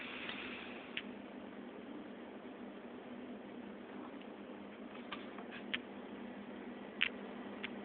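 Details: Seagate 500GB 7200 rpm laptop hard drive with free fall sensor, from a Dell XPS 16, failed after three months: quiet hum with sharp irregular clicks every second or two; read head found at fault.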